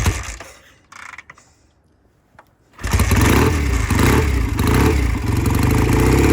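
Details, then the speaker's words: Vintage British motorcycle that sat a couple of years with clogged carburetors, running after two carburetor cleanings. It takes a few kicks, then settles into a steady, even thump with no misses. "So it took 2 tries on the carburetors to get it to run. And it's running pretty good, sounds good in the shop."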